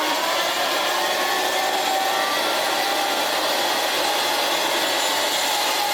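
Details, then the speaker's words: Old Hoover Senior 652a vacuum running without its belt: a harsh, rough, gritty roar; the brush roll spins fine, and owner thinks the motor needs new bearings; loud motor running noise. "That sounds lovely. I think this machine might need some new bearings."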